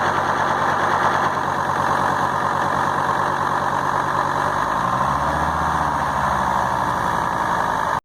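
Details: Volvo S80 D5252T five-cylinder diesel idling rough with an uneven, lumpy clatter and a wavering pulse.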